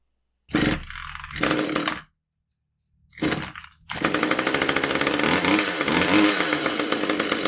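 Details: Husqvarna T435 top-handle chainsaw, after repair of anti-vibration springs that had stretched beyond their limits and caused a won't-start, won't-stay-running complaint. Two bursts as it catches on the pull, then a steady, even two-stroke run with no bogging; it runs normally.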